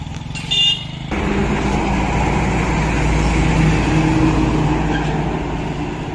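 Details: Hero Glamour motorcycle engine under a gentle pull: an even, steady thrum with no knock or tapping; it sounds smooth and healthy.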